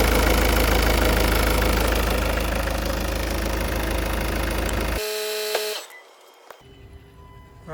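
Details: 2016 Ford Focus ST 2.0 diesel, started with the engine cover off after a service (new fuel filter, primed; 0W-30 oil); it catches promptly and settles into a steady, even clatter with no misfire or hunting. Normal diesel start and idle.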